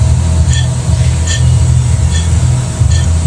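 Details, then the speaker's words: Honda City GM6, owner reports droning noise, loud with windows closed: low hum with a faint ringing chirp about every 0.8 seconds from the old worn rear wheel bearing; the new bearing is silent. "Kalau untuk masalah kereta Honda JMC ni ialah berdengung pada bearing. Ni bearing yang lama kita boleh dengar eh."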